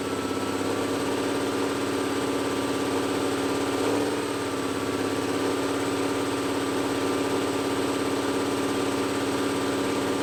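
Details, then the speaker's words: Old Cummins L10 diesel semi truck, stored roughly 23–30 years, first run on ether, held near 2500 rpm; steady fast drone with no turbo whistle on top. Turbocharger seized, not spinning. "well the old L10 cumings came right to life see a turbo is still stuck not [Music] spinning"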